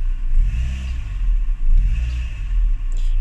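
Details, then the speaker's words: Renault Twingo after cleaning the MAP sensor to cure throttle hesitation and stalling. The engine rumble rises and falls unevenly under throttle with brief stumbles; a slight judder remains but is much improved. "There's still there's definitely a little judder there still, but it is nowhere near as bad."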